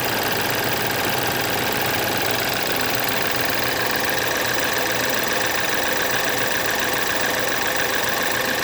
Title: BMW F10 2011r N20B20 Timing Chain noise (before replacement)